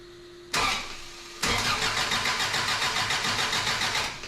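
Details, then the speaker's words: Toyota truck, clutch switch bypassed, helper cranking to power the ECU: short starter jab then about three seconds of steady cranking at roughly three and a half turns per second, never catches; ignition circuit problem suspected, spark being checked. "Okay, let me try one more thing here. We'll check for spark here. Let's see here. All right. All right. Go for it. Okay. All right. Something's going on with our ignition circuit."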